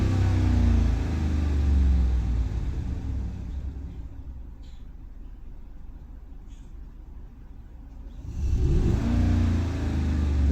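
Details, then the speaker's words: Hemi 5.7 V8 revved lightly then settling, with a faintly uneven, lumpy pulse under throttle; idle now smooth, but cylinder 6 misfire count rises with a little gas; valve cover removal planned to investigate. "Pero usted le da un poquito de gas. Empieza a contar."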